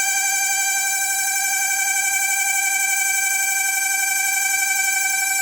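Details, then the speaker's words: LG microwave with cabinet removed, running: loud, steady high-pitched squeal with fast chirping pulse from the small cooling fan's dry bearing; to be removed and lubricated, replaced if noise persists. "barulho surreal tá vindo aqui, ó, desse ventiladorzinho, ó. Olha o barulho que tá fazendo. A gente vai tirar esse ventiladorzinho aqui, fazer uma lubrificação."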